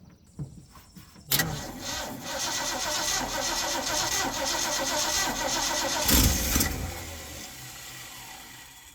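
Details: Old Ford F100 that sat long, mice-chewed dash wiring suspected, first crank attempt: cranks about a second, catches and runs with uneven wavering beat and surge; ignition fault.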